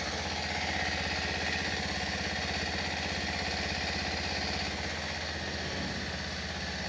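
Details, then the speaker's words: Brand-new Kawasaki KLX 230 SM at 0 km, warming up: steady single-cylinder idle of about 200 beats a minute with a harsh, rattly, noisy edge; owner heard this may come from its tuning, cause unclear. "Ini motor suaranya agak lumayan kasar ya. Lumayan berisik."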